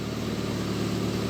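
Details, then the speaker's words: VAZ 2111 with misfiring engine after replacing the camshaft position sensor: short low, even idle with steady beat and no obvious stumble; stable idle, though check engine light later returns with slight instability. "безстоєніє ну двигатель вообще стабільно"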